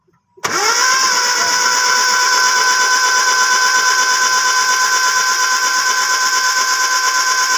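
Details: Engine just after contact point replacement with rotor and distributor cap refitted: catches on first crank and settles into steady even idle with no misses or stumbles; ignition healthy.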